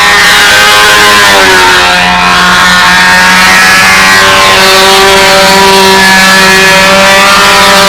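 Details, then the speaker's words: Small aircraft engine screaming at full throttle, with a harsh, rattly edge at the top; described as detonation, not pipe rattle, with the exhaust port said to be running cherry red. "You hear that at the top? That's detonating at the top too. And don't let anybody tell you that's pipe rattle, that's detonation."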